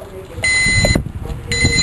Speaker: what I did was I put in a backup beeper backup light backup safety bulb and alarm see what it sounds like backing up a big rig like this